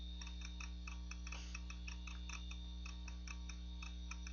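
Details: Macintosh PowerBook 520c (25 MHz 68LC040, Mac OS 7.5.5) booting from its 240 MB 2.5" SCSI hard drive, possibly IBM: sharp, regular ticks about four per second over a steady low hum. The drive is showing signs of failing soon.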